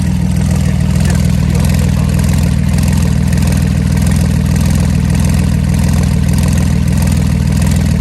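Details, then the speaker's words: Flood-damaged Porsche 911 Turbo after water purged from fuel, on base map, intercoolers and air hoses disconnected, Marvel Mystery Oil/0W40 mix, not yet warm, equal smoke from both pipes. Steady deep idle with even low pulse, no misses or knocks; normal idle. "but it's gonna run off a base map it sounds good if you ask me we got equal smoke coming out of each pipe"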